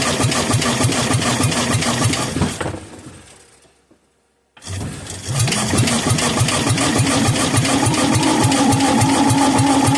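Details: Kohler K241 single, sat for years, bench test with carburetor filled by hand with fuel: runs briefly on primed fuel, dies out completely, then catches again and runs roughly; runs briefly on primed fuel then dies.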